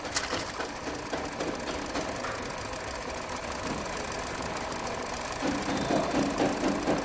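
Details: 2023 Hyundai Verna petrol BS6 automatic, overheating, fan running constantly, late starting in mornings: at idle a dull tak-tak knock about twice a second over the engine; mechanic suspects piston noise, to be checked.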